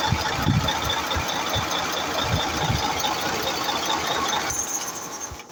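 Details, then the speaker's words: Mercedes-Benz Actros V6 diesel after replacing the injector nozzles and electronic unit pump blamed for RPM fluctuation and hard starting: even idle with a steady low clatter, a faint whistle and no surging. Running properly now; the fault is resolved. "the problem no flation of RM anymore RM is moving fine in the ICU and the high starting issue has been resolved"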